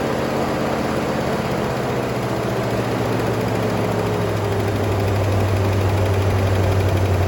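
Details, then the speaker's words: 1966 Pontiac Grand Prix, 389 V8 four-barrel, first start since 1992, fresh oil: loose-sounding idle with a pretty bad light, quick tick riding over it and a little blow-by. Owner expects the tick to go away as oil circulates. "a runner pretty bad tick it's gonna go away I put fresh oil in it a little blow by it actually doesn't sound bad except for that tick"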